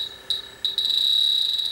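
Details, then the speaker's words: Refrigerant leak detector on a grain-drying dry air generator that lost its refrigerant gives a high steady tone jumping into louder alarm bursts near the coil. Spray shows no bubbles and plastic parts are suspected porous; a leak was finally found in the evaporator coil. "Because that thinks there's something there. I've put spray on it and all sorts, I can't see anything."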